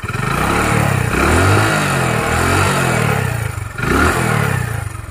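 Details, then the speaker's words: Hero Honda CD Deluxe after a full engine restoration with a new timing chain kit; it previously leaked oil and smoked heavily. Recorded near the engine while revving: the revs rise and fall smoothly with no tapping, rattle or knock. The engine is healthy, and there is no smoke now. "अब engine के पास से sound सुनते है थोड़ा सा RPM बढ़ाऊ मैं"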